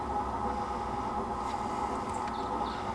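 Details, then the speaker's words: Lippert leveling system on a fifth wheel RV with a right rear jack fault, manual mode after reseating fuse: steady electric hum and whine, no grinding, as one rear jack motor runs normally; left rear came down, control board suspected bad. "As soon I can hear the left, or I can hear one of the rear ones go, and that's all it does."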